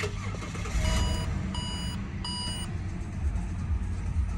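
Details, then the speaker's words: XR6 2.5 first start after 5 years, belt off so no water pump running: engine catches and settles into an even, low idle with dash chimes over it; normal idle. "But yeah, the main thing is she starts and runs. I'll fire it up again."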